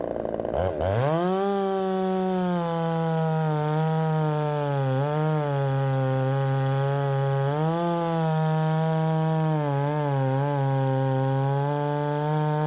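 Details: Ported Poulan 3750 chainsaw, after the loose exhaust was retightened, tune unchanged: the idle pitch sags and climbs every couple of seconds, never settling. Richening seems to load it up.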